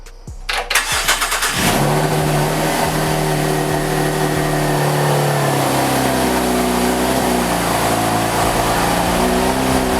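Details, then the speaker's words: V6 Camaro just fitted with an 80mm throttle body, adapter plate and coupler, before retuning: cranks and catches, then a hunting idle whose pitch sags and wavers as if about to cut off; rough idle. "Okay, so it definitely sounds different. Sounds like it's trying to cut off. I am pretty rough. Pretty different. It sounded kind of rough."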